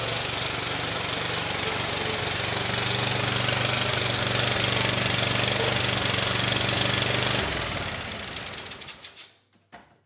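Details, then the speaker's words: Bobcat zero-turn (Ransomes 942205) with replacement Kohler SV730S, started on starting fluid: harsh rasping exhaust bark about four pulses a second, then winds down and stops; very loud, owner suspects hole in likely original exhaust, head gasket unconfirmed. "Uh the exhaust, it is quite loud. You know, I'm not sure if there's a hole in it. You know, it kind of sounded like a head gasket, but I'm not seeing any signs of that, either."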